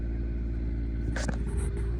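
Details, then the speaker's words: 2001 Monaco motorcoach onboard generator, just started via hold button and warming up: deep, even rumble holding steady with no misses or surging; running smoothly. "There you go. Now the generator's running, and look up here for a second."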